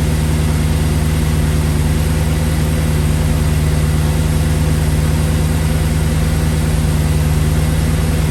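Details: 2008 Audi S5 4.2 V8 with race pipes and tune, after new spark plugs and ignition coils and a cleaned MAF sensor, camera in front of the engine: deep, steady, even idle with no misses, ticks or knocks.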